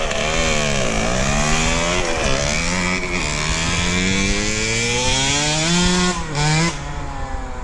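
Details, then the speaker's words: KTM 65 two-stroke motocross bike, after fix for shutting down at mid to high throttle: clogged power valve hose to expansion chamber replaced, plugged pilot jet and carb cleaned; crisp revs climb and fall smoothly, no bog, sounds a lot better. "better. Sounds a lot better."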